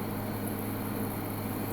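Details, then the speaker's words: Midea U 8000 BTU window AC at 108°F outside, eco low, power climbing past 500 W: steady even hum with constant fan rush, louder than in cooler weather, no rattles or cycling; compressor running hard under high load. "It is actually quite a bit louder than it is when it's cooler outside, so I think it's definitely working harder."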